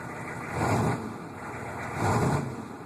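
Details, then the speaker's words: 1998 K2500 truck just started cold, after a recent 1,800-mile drive; steady low rumble swelling and easing as the mic moves, even running, a normal cold idle. "But that's that. You can see it's cold. Just started."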